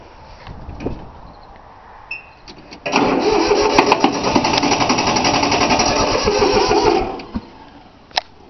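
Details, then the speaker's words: 3-cylinder Yanmar diesel cold start after glow plugs: steady rapid starter churning about four seconds with no catch; fuel lines not bled, air in lines; owner also suspects starter wearing out. "It's trying. Alright. That old Yamaha seems like she ain't gonna start. I don't know what's happening with it."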